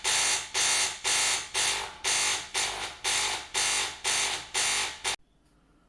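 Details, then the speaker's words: De'Longhi Caffè Corso ESAM2800 espresso machine, hot water pressed: harsh loud buzz pulsing about twice a second, then silence; failed vibratory pump moving no water despite priming, fixed by replacing pump. "it no longer pumps water and makes a very loud buzzing sound"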